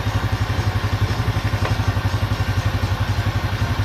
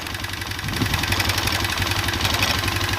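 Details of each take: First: Honda Revo Absolute single-cylinder motorcycle idling steadily with an even low thump after oil pump cleaning: the earlier cam chain rattle is gone, and it now runs very smoothly. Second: Honda Revo Absolute carbureted motorcycle engine idling with a light fast metallic ticking about four a second persisting after the cam chain was tensioned; owner suspects a worn, undersized piston.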